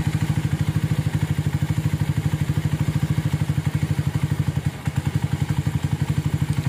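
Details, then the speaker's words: Minerva R150 Xrod single-cylinder motorcycle, earlier noisy with white smoke, idling after replacing destroyed bearings, the piston and other parts, timing set to T: steady, even thump with no clatter. It now sounds smooth and cool, a normal idle. "udah lembut suaranya. Oke. Jengkol ya. Suaranya adem. Oke, mantep ya."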